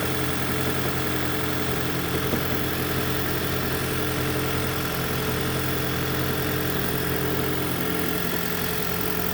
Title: Toyota prius 2010 engine knocking and rattling fixed